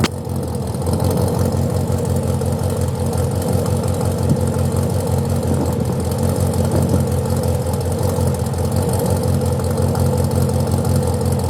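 Low steady idle hum with a faint, irregular stumble breaking the rhythm every so often; consistent with a misfire at idle.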